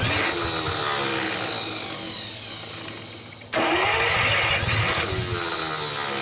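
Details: 1949 Buick straight-8, first start in years, with distributor cap and rotor from a 1950 parts car and gas fed to the carburetor, timing being advanced; long starter grinding, pause, more cranking, no start, cause not found.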